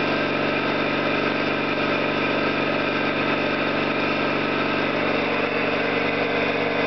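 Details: Orlík 2 JSK 75-2 compressor at one of its first starts after rebuild (concentric valves, seals), motor provisionally started in star for the house breaker; steady even chugging, smooth drone, no knocks or rattles; normal running.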